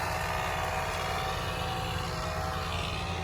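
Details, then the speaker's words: 1999 Toyota 4Runner SR5, 3.4L (3400) 24-valve V6, 268k on the clock, front-end collision damage. Engine runs steadily with an uneven scraping whir: the fan is rubbing. The engine otherwise sounds healthy. "You can hear the fan is rubbing. The motor sounds pretty healthy though, besides the fan rubbing."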